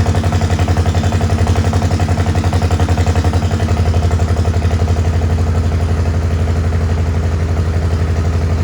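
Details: Farmall H tractor with a lumpy idle at about four beats a second and an uneven chuffing rhythm, sounding like a misfire. Carb not flooded and timing found not out; cause not confirmed.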